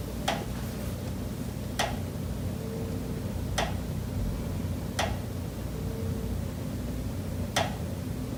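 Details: Condo unit, September: five sharp, slightly unevenly spaced knocks in about eight seconds over a low steady hum. Pipes behind the kitchen wall knock constantly day and night, audible through the kitchen and living area; cause unknown.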